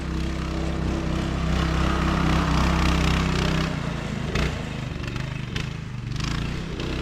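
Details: Child-size go-kart single-cylinder engine, after sitting for years, on driving test after new carb and throttle cable, adult driver aboard: pulls steadily with even quick beat, no misses or knocks under load; runs pretty good.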